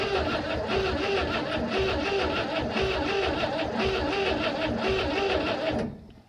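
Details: 1960 Grumman Olson curbside van pulled from a field: the starter cranks steadily for about six seconds with no firing, while checking whether the fuel pump draws from a jar. The pump likely needs priming.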